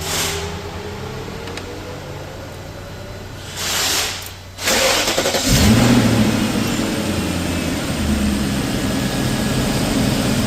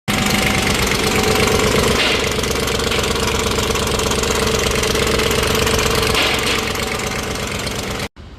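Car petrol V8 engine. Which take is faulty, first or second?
second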